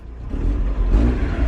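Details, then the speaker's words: Mazda Eunos Roadster, about 50,000 miles, just revived after 5 years; engine climbs from idle into brief clean rev, smooth deep note, no knocks or misfires, more responsive after running a while; oil pressure reads low, gauges doubtful; normal revving. "the cars a lot more responsive I think you just needed to run for a little bit"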